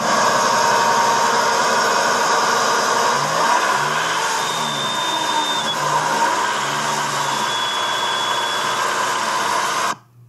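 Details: Nissan SR20DET in S14 idling before rod bearings were replaced: deep, steady knock under the engine noise, a worn rod bearing.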